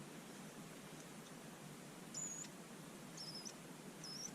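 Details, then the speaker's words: Bosch Ixo cordless screwdriver motor on the bench, powered with the switch terminals shorted: quiet hiss broken by three brief, thin high-pitched squeals. The motor squeals but is not visibly turning; the cause is unknown. "I think I am yeah there's definitely a squealing noise from somewhere go back the other way I don't know if you can hear that on there but I can hear a squealing noise"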